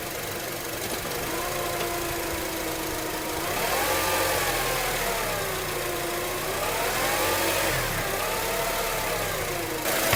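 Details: 2004 Acura TSX, noise present since at least 138k miles and still at 206k, no shifting issues or warning lights: a steady whine that rises and falls with road speed. Commenters suggest the torque converter; cause unconfirmed.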